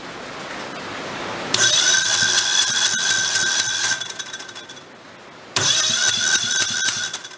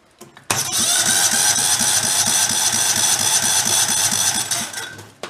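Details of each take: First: Used Kohler Command engine salvaged from blown engines: two bursts of fast, light, uneven cranking with starter whine and no firing; weak compression, suspected lifter holding a valve open. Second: Salvaged failed Kohler Command engine: starter spins the engine with an even, steady chug of about three beats a second; compression on cranking sounds healthy and balanced.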